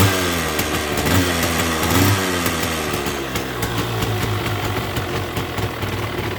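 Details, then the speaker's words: 1979 Yamaha Enduro DT175 two-stroke with oil injection, which had been howling; it now buzzes at a steady idle with the low growl gone. "oh well it was quiet got to do something more"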